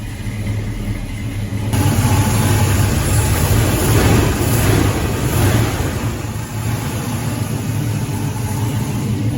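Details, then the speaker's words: 1984 Chevy K10 with mild cam on Holley Sniper EFI, converted from carburetor: smooth, steady low idle with only a faint lope, less than with the carburetor; normal idle. "a couple things i noticed running this uh hollow sniper setup it gets rid of a little bit of the lobe"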